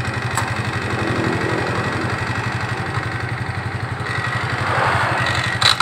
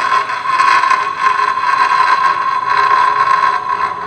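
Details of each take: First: Suzuki Nex scooter CVT with cover open and closed: even idle pulse around four beats a second with no rough grinding or rattle from the belt drive; sound is the same either way and judged normal. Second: Suzuki Nex scooter CVT, cover open versus closed: constant high whine with rough gritty rush, unchanged and louder with the cover open since damping is lost; a worn CVT bearing.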